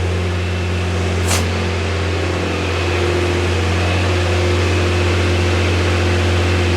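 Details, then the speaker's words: Nissan Frontier with an intermittent fault that ran badly below 50°F, idling after the fix: smooth, even idle with a steady low hum and no stumbles, ticks or hunting; normal idle. "there she goes. She sounds good. I'm happy."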